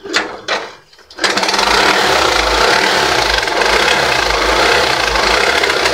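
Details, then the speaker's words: Yamaha YTX 125 motorcycle in neutral, two kick-start bursts then rough, uneven stumbling idle; misfiring and sputtering, carburetor to be removed and cleaned. "Ayan oh. Ayan mga jalyado yung kanandar at papugak-pugak."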